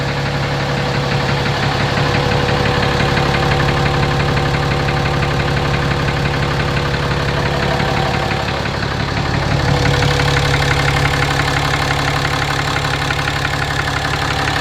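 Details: 2017 RAM 2500 6.7 Cummins diesel at 12,100 miles, on Rotella T 15W-40 and often towing a fifth wheel, idling with the mic moved around the engine: a deep regular knock about three per second that has always been there; oil analysis shows high iron; cause unknown.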